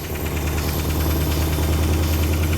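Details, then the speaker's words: 1974 Dodge Monaco first start after sitting for years; deep steady idle with a faint even light tick that has grown much quieter since start; engine ticking at idle, source unclear. "The ticking noise has gotten much quieter. It's self-healing."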